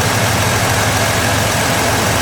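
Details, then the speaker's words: 2016 Ford F-150 3.5 V6 running after the correct starter replaced a wrong one; still clearing fluid smoke, with normal temperature and good oil pressure. Quiet, smooth, low idle rumble with no knocks, ticks or whine. Normal idle. "She's quiet though. I'm gonna go check the temperature."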